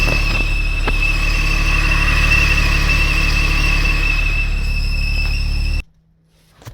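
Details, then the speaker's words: Porsche Boxster 987, warm engine with covers removed, noise absent when cold: steady high-pitched squeal over even idle; persists with drive belt removed, so not pulley-related; intake suction next to check, source still unknown. "So I'm going to press pause until that noise starts to come back. And here's the noise starting to come back."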